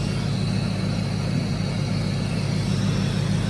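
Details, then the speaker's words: Ford Lightning SVT V8, cold, after DIY supercharger porting and vacuum line fix, intercooler pump flowing; steady, even idle rumble with soft intake suck, no blower whine, rattle or grinding. "there's no noise coming from the blower so I was worried about that I was thinking I don't know my first time messing with a blower so I didn't know if I mess something up but no grinding you can hear the intake [Music] sucking but"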